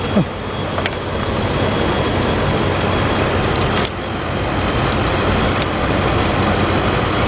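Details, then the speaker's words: 2013 Dodge Ram 1500 pickup being diagnosed for a no-start with just clicks: idle dipping slightly with a faint steady high whistle from the alternator while charging; normal alternator whine. "looks like it's tring die out maybe uh just the idle going down fact I think I I hear the alate whistling"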